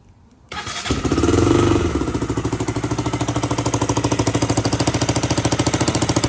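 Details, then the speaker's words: KTM Duke 200 V2 single cylinder at idle with a sharp ticking puff on every firing pulse, about 200 a minute; the owner says the exhaust sounds broken and leaking, and the exhaust pipe gasket is to be replaced at a shop. "Okay, sebab korang bunyi kau dengar aku punya exhaust bunyi memang bunyi rosak."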